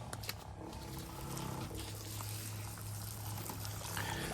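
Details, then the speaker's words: UK softwash system pump tested with water only, water suspected back-filling into the bleach tank: uneven gurgling and sputtering over a low pump drone as air is pulled through the line, an airlock. "That's the sound of an airlock."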